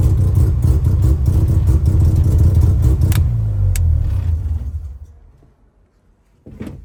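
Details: 12a Bridgeport engine with a lumpy, uneven idle, stumbling pulses breaking the rhythm before it dies; misfire at idle, owner unsure if electrical or something else.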